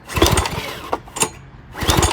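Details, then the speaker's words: Old Briggs & Stratton push mower engine, pull-started with choke and throttle varied: several short pull-cord bursts spinning the engine briefly with no firing; carburetor suspected, not confirmed. Cranks but won't start. "Nothing. Nothing. Okay. But it looks like it could run."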